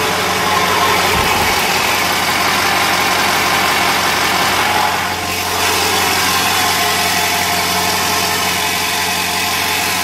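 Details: 2000 Ford 7.3L diesel idling rough: uneven, lumpy beat with some shake instead of a smooth patter.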